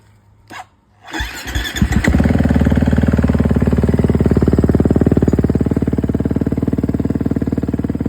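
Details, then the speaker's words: 2011 KTM 350 with 40 hours, fixed after a no-spark fault from a failed stator; oil and coolant changed: a few cranking strokes, then it catches and settles into a steady, clean single-cylinder idle; normal. "but yeah, it runs pretty good now."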